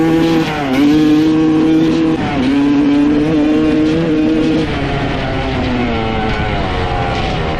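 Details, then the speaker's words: 1995 Honda CR250 two-stroke after rebuild and float height change: crisp, clean revs when cold, but as it warms the pitch sags and hangs, bogging more and more and not clearing out. "then as it got warmer and warmer it seems like it's getting boggier and boggier it's just just like and it's not clearing out"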